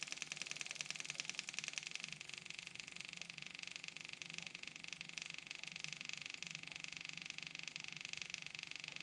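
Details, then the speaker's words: Kubota M6060 tractor at its 1500-hour service, key on and engine off, bleeder screw cracked to refill the fuel system: electric fuel pump gives a thin high buzz with an even tick of about 3.5 per second, normal priming. "hear the sound of that pump change okay we're getting feel up here and where that thing's got a return line on it back to the tank from a first where it's electric pump"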